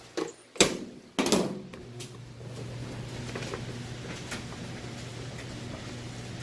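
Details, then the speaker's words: Three-year-old Maytag electric dryer: a couple of door clunks, then a quiet, smooth hum with no thumping, imbalance or rattle; running normally. "sounds great. No weird noises, and it's not off balance or no loud thumping or anything like that."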